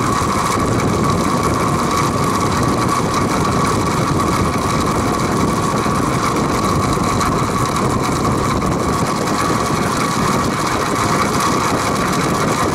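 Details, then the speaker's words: Vintage Penncrest (rebranded Lakewood) 20-inch 3-speed box fan on high, stored six years in a shed: steady loud gravelly diesel-like clatter under faint hum despite repeated oiling; no motor play, blades tight; owner suspects worn groove in never-oiled bearings. "it sounds like a diesel engine when it runs it's rattling it's noisy i've oiled it several times before the noise doesn't go away"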